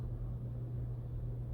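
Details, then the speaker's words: Hunter ceiling fan, after fixing years-long squeak caused by fan fins hitting a wire: low smooth even hum with no squeak or tick; runs quietly and normally. "it is no war little squeaks noises so that's what was wrong with it I'm little finn's in there we're hitting the wire"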